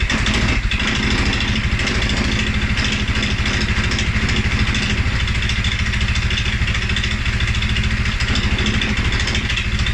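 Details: 2011 Polaris Sportsman 550 XP: single-cylinder thump at idle, uneven from beat to beat; rough idle, with cold-start stumble also reported; EFI sensors, valve clearance, timing, plug and 43 psi fuel pressure all checked good; cause unknown.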